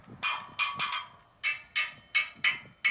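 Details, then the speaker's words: Chevy Kodiak/GMC TopKick motorhome rear leaf spring replacement: about ten hammer taps on U-bolts torqued to spec, each leaving a bright high ringing note; ring means tight, a thud would mean too loose. "He told me what they do over at the shop is they'll take a hammer or a pry bar or something and tap the U-bolts. And if they make like a high-pitched sound, like a ring, it's good."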